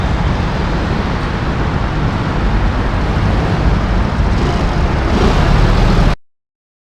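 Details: Suzuki Burgman scooter with hard starting, after manual throttle position sensor calibration without a diagnostic tool (TPS angle had been too high): even, fairly fast idle, steady, no stumbling or misfire; idle expected to drop automatically as it settles.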